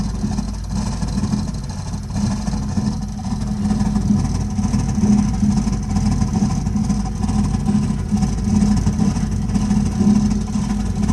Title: Burnham Alpine boiler problem with loud noise